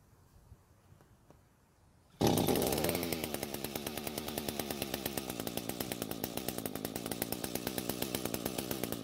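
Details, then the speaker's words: Echo GT200R two-stroke trimmer after a quarter-turn richening carb screw adjustment (the H screw, by mistake): it runs at a fast, uneven buzz with irregular pops. It still runs lean and only stays running partly choked. "so after the adjustment it was a little bit better it tried to start while fully choked and ran while partially choked"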